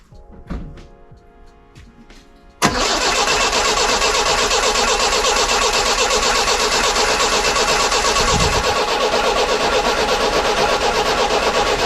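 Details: 1968 Datsun 510 after a new fuel pump was fitted and primed: quiet for a moment, then it catches suddenly and settles into a steady, even run over music; the engine starts and idles normally.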